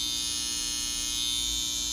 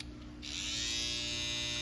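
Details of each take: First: Babyliss FX hair trimmer running with a harsh, piercing buzz far louder than a new one, and not cutting hair, due to a bent blade. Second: BaByliss FX hair trimmer, previously loud and not cutting, after fitting a new oiled blade: smooth, steady, even buzz with no rattle, super quiet and cutting again.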